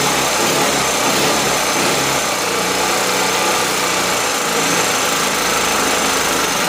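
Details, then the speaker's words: Powerwise 3500 W 120/240 V generator engine after carburetor broken-jet repair; small engine screams at steady far-too-high speed with no correction because the governor gives no action, throttle closed by hand: engine overspeed from failed governor. "the governor's not working there is no action from the governor"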